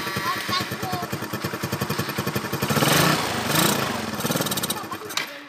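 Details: Yamaha Nouvo LC scooter that stumbles on throttle and stalls, air filter clogged but not the cause: uneven, lumpy running with pulses wandering around four per second, then sags and dies.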